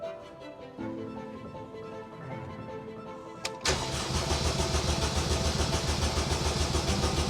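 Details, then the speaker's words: Honda Jazz with a swapped K20A engine cranking even with brake cleaner sprayed in the intake: steady starter cranking at about 3.5 turns a second that never catches; no spark and no fuel pump priming. "but still absolutely nothing now Tom and I were really confused because this meant that it wasn't a fuel problem not only were we not getting any fuel pressure because the fuel pump wasn't priming but we also weren't getting any spark"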